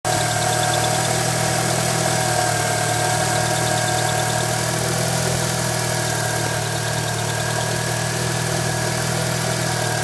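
Steady idle with a thin, high chirp repeating a few times a second over the engine hum; the chirp's source is still unknown.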